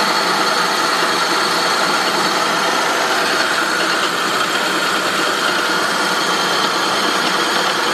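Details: 2003 Saab 9-5 idling: constant harsh metallic grinding from the engine, even and unchanging; source not pinned down.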